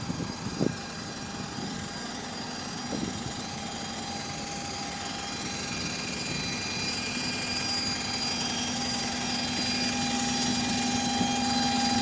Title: Loud Gear Whining | AL DW310 On Bus Route 466 (Spot + 4)